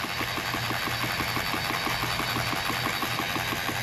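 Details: 2013 Mercury 250 Pro XS Optimax outboard after a Chris Carson carbon fiber reed valve upgrade: steady, even idle with a regular quick pulse of about five beats a second, no knocks or misses; a normal idle.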